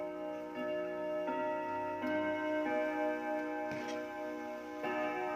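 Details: 1936 Junghans W64 five-rod chiming clock, probably never renovated, with its case slightly out of beat, set to 12: clear bell tones in a steady melody with evenly spaced gong strikes, no dragging or hesitation; chime and strike healthy.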